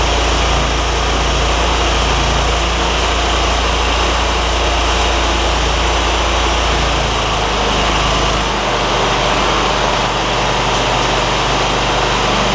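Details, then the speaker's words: John Deere ZTrak zero-turn with Kohler V-twin, sat two years, carb with sticky solenoid: steady, even running at constant speed with no misses or surging, oak leaves ticking against the back of the cooling fan; engine sounds healthy. "Those little oak leaf things that are hitting around on the back of the cooling fan. They'll go away in a minute."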